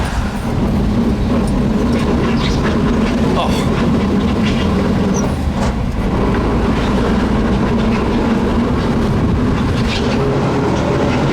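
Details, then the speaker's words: Worn truck already with failing, overheated transmission, pulling away from a stop under light throttle: loud steady rumbling grind with faint droning hum, thrashing sound underneath; failed differential pinion bearing. "all right we're blowing the stop sign hear it oh my God it sounds horrible just thrashing the inside of that"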